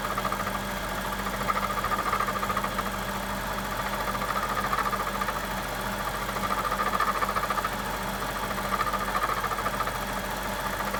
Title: 2007 BMW 750i - Strange Engine Noise